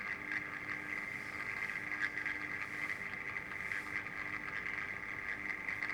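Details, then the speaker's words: 1950s (c.1952) Healing 400H valve radio at 220 V, after replacing a capacitor, full volume: thin, buzzy, tinny output with no bass, unchanged; speaker suspected worn out. "Sounds like the speakers had it. Which wouldn't surprise me."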